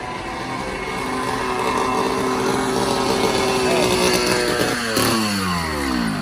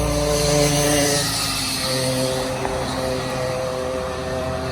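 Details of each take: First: Cheap 80cc two-stroke motorized bicycle engine after cylinder and intake porting and piston skirting, warmed up: loud, raspy bark climbing with revs, harsh open crackle at the loose pipe joint; blown exhaust gasket, to be replaced. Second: 80cc two-stroke motorized bicycle kit after cylinder, intake and exhaust porting plus piston skirting, passing at speed: strong buzzy note dropping in pitch as it goes by, runs clean and pulls hard. Now climbs the hill and runs better.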